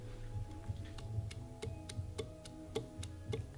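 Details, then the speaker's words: Mazda Miata engine stripped with crank endplay measured near the stock maximum: prying the crank back and forth gives sharp metallic ticks about once a second, excess endplay from worn thrust washers, which are being replaced. "So I'm going to show you guys what this looks like without it. You can actually see movement."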